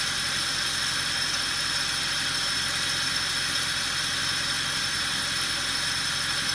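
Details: Mercedes W219 CLS63 with M156 engine at idle: constant high, tinny jingling over a quiet engine hum from a loose, rattling belt tensioner pulley; the belt and pulley set is to be replaced.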